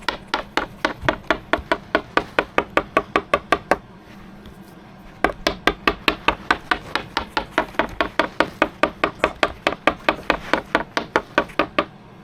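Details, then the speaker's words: Coin tap test on a cured fiberglass/core repair on a sailboat: crisp bright taps, about two a second, all ringing the same with no dull thuds. Solid laminate, no damp or soft spots. "so that's not too bad huh sounds good no Dam no soft spots so we're happy with that"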